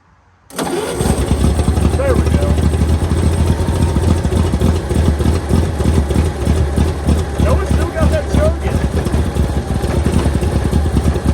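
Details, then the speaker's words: 1923 Franklin Model 10, sitting about 76 years, first run: catches and settles into a steady, loping idle with an even low beat, slight blow-by visible; runs well. "there we go okay so she runs really good"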